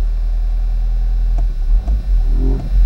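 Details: 2004 Toyota Corolla 2.0 D4-D diesel, near operating temperature, ventilation off: deep throbbing uneven drone at low revs, abnormal vibration fading above about 1500 rpm; cause unknown, earlier engine warning light cleared by battery disconnect.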